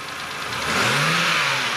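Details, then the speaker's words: Mazda CX-7 2.3 four-cylinder just started: light, quick ticking from the top end of the engine, noisy valve lifters. "okay you're going to hear that ticking sound now tick tick tick tick tick tick tick tick okay that's valve lifters noise guys right there guys"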